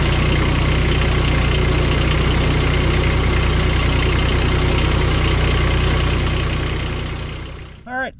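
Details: Cushman diesel mower, long out of service (filters dated 19), bought for its engine: steady, even diesel chug for about seven seconds that winds down to a stop; small diesel running healthy.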